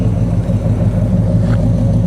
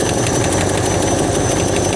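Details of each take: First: She sounds good, man. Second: Roughly 60-year-old Ford Galaxie V8, hot, at idle: a lumpy low beat with a slight tap and a steady airy hiss on top, an intake vacuum leak whose location is not yet found.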